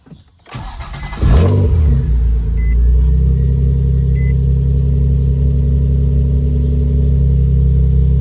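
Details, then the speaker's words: Nissan 350Z with new PRC stage 3 six-puck clutch and 17.5 lb lightweight flywheel replacing the stock flywheel of about 28–31 lb, cold start: cranks, catches quickly and settles to a smooth steady idle, revs a bit faster, healthy. "So yeah, I'll start it up and let you guys see how it revs up now. Cold start."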